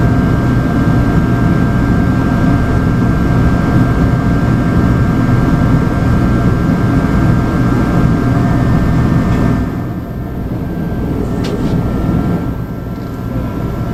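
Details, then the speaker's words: USI combo vending machine model 3155 compressor trying but failing to start: steady low strained hum for about nine seconds, then drops away without running; fault is a bad start capacitor. "the compressor right now is not turning on in the combo machine it's trying to turn on but it's not it's making a little noise"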